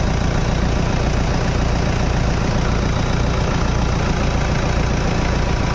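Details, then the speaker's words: Toyota Innova after a power steering service and pump fix (water had been found in the steering), engine idling while the steering is turned: steady low hum with no whine or groan. Power steering noise gone, normal idle. "मारिए steering ride मारो यहां पर जो आवाज आ रहा था व बंद हो गया है"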